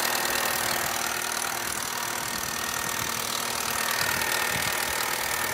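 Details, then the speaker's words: Cheap petrol project car: lumpy, uneven idle with irregular stumbles under a harsh rattle; three of four cylinders misfiring, owner suspects a broken piston ring. "now that sounds nasty that's not a pretty sound is it"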